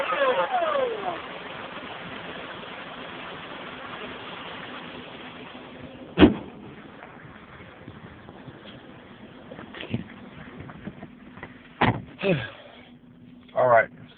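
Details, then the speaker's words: Car just after a cold start: steady loud rushing roar with a low hum underneath, like a plane taking off; no engine vibration, an unidentified valve/adapter piece vibrated most; source unknown. "as you can see it sounds like a plane taking off"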